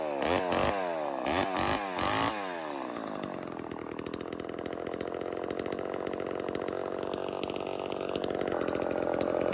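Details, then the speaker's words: Vintage Homelite Super XL Automatic chainsaw two-stroke, before repair: after a few sharp revs the idle wanders in pitch, never settling; owner suspects reed issue and air leak, later finding a reed with a piece missing and another gapped. "ave had it running and idling and i have a feeling it's got a read issue um and i also have a feeling it might have an air leak"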